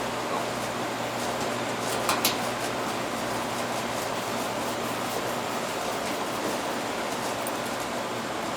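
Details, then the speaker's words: Carrier AC condenser that was not cooling, restarted after the wiring connections were tightened; dead compressor side of the capacitor found, fan side low. It runs and gets cold: constant low hum under steady fan rush, no rattles or stalling, normal condenser operation. "all right let's see if it starts see if it starts up look it's running getting cold"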